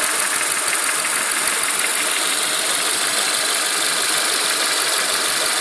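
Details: Renault Megane K4M engine at idle, timing belt kit and dephaser pulley replaced within the last 30k km: a light, fairly regular knock about three per second that sometimes stops for a second or two. Owner suspects a hydraulic lifter; tappet additive added.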